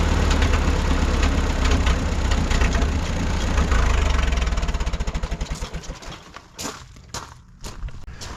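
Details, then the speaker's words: 1951 Farmall M four-cylinder, after about 20 minutes running toward operating temperature on Autolite 316 plugs: low lumpy idle that still misses now and then; cause not pinned down. "it's kind of back to running the way it was before we put the Autolite 316s in it you know it's not horrible but it still is uh Missing every once in a while and it shouldn't be doing that"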